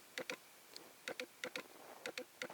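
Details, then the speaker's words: Lens on Sony A7S via Canon-to-Sony autofocus adapter: small sharp clicks in pairs, about two pairs a second, focus drive hunting and never locking; cause suspected, not confirmed. "you can hear what it does it just can't focus anyway"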